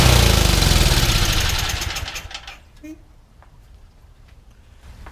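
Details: Yardman 31A-285-452 21-inch snowblower, 5 hp Tecumseh engine, sat unused for years, restarted with primer: single-cylinder runs strong and even a few seconds then winds down quietly; engine healthy, though tine assembly does not engage.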